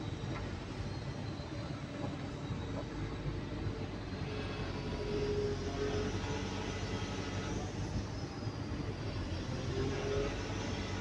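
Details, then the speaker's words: Cat 320DL excavator diesel, after flow pump adjustment for low power and overload: deep, steady drone holding even speed with no hunting or laboring; engine sound judged okay at the ideal adjustment position. "sound is okay it's okay that is an ideal position"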